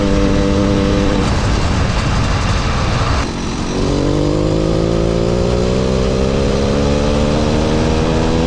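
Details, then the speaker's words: Mildly ported motorized bicycle two-stroke engine, stock carb and exhaust, riding; buzz climbs smoothly in pitch as it pulls away, clean, quiet, no misfire; normal running. "See it, the motor runs well, it does good, it pulls nice, it's nothing crazy, it's quiet, smooth."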